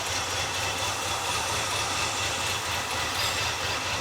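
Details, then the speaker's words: 46-year-old Ford F250 Supercab engine with a new coil, already started earlier that day: it idles with an uneven, loping beat and a hissy top end. Rough idle; owner thinks it needs a tune-up. "It's not maybe all of the ponies, but there's some ponies in there running."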